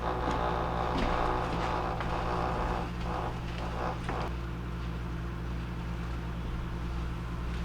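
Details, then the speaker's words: GE Profile PDW8600N00BB dishwasher on rinse cycle, complaint of excessive vibration: steady low hum with a coarse buzzing rattle about four times a second under the wash noise, coming from the drain pump (WD26X10039). "that is actually coming from the drain pump that noise"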